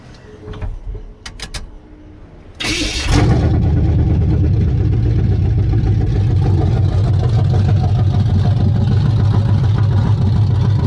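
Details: Chevy C10 truck with a newly installed ZZ4 350 crate engine, Cadillac fan and homemade brackets, first start: starter cranks briefly, catches cleanly, then settles into a steady, deep, even V8 idle rumble; normal start and idle.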